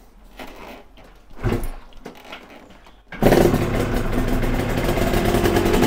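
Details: Yamaha TZR 250 3XV twin two-stroke, during carb balancing after earlier uneven cylinder temperatures: a few quiet cranks, catches first time, settles into steady crisp idle. Normal start.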